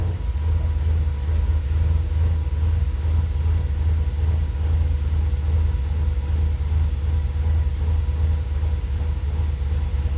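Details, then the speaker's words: Holley Sniper EFI Dodge truck with IAC, after warming up about five minutes to 185: a throttle blip leaves the idle hanging high as a steady deep rumble; plugs cleaned, grounds checked, cause unknown. "it ran fine until it warmed up hung out there warming up for i don't know five minutes i'd say at you know 185. i figured i'd break out the camera to show you guys man i just tapped the gas and it stuck open"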